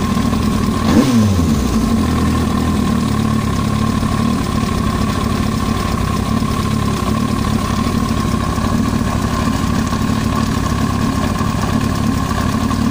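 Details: Yamaha YZF-R1 four-cylinder at steady idle: a dense ticking knock riding on top, even throughout, an abnormal noise in the engine head of unknown origin.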